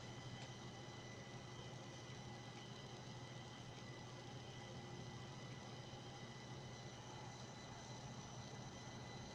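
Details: Chinese motherboard (Huanan, Plexhd type) after Windows boots, worse on high-performance power plan, not fixed by swapping power supplies: faint steady high whistles over a low fan hum, coil whine from the chokes at idle.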